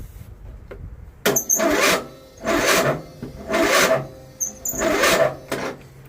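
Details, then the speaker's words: John Deere 102 riding mower at 10°F (feels like -7) after about an hour on charger, unplugged: four slow, dragging crank bursts that never catch; weak cold cranking, no start, owner re-hooks charger, cause unconfirmed. "Why is she not want to fire or spin? I mean, okay, I'm going to hook the battery charger back up and see if it'll spin better that way."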